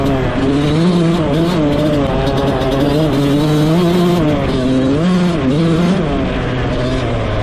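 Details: Rebuilt 2001 Yamaha YZ125 two-stroke, ridden: revs climb and drop cleanly through the gears, no bogging in any gear; jetting spot on, air screw maybe slightly off, slight bog on takeoff only if clutched wrong.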